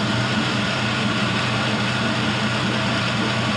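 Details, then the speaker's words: 5.3L Gen 3 LM7 V8 with 180k miles, LS7 lifters, new Melling oil pump and MLS head gaskets, idling while warming up with coolant temperature rising: smooth, quiet, even low rumble with no ticks or knocks; normal idle. "But as you can see, it runs very smooth, very quiet."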